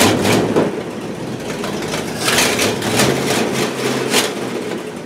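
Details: 1968 Buick LeSabre V8 idling after engine repair, previously abandoned with no oil pressure and leaking head gaskets; valve cover off, oil pressure good, head gaskets holding, temperature stable around 190°; soft regular lope, no knocks or misses, healthy.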